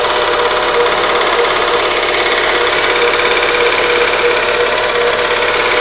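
A sharp, fairly even tapping of about three knocks a second rides over the running engine, an engine knock of unknown cause.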